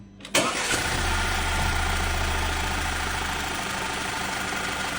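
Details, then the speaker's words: Rebuilt VW EA888 engine idles steady without shaking but has a quick ticking over the top; suspected low oil pressure upsetting camshaft adjustment, not confirmed. "这台发动机也很稳，也不抖动，但是它有死亡哒哒哒的声音。"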